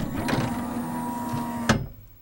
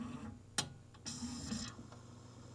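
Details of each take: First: CLD-M301 laserdisc player, both-sides-play model with a disc tray stuck on open: steady motor whirr straining against the tray, then a sharp bang from a whack and the whirr dies away; a slipping tray belt is stalling the tray. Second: CLD-M301 laserdisc player with built-in 5-disc changer, pressing play: a couple of sharp clicks, then a soft rising whirr as the disc comes up to speed and settles into a faint steady tracking hum; normal, picture appears.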